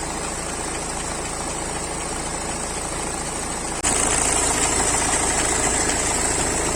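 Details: BMW 3 Series cold start after sitting unstarted a long time during lockdown: cold idle with a steady light knock about three to four beats a second over the engine; engine knock on cold start, cause not pinned down.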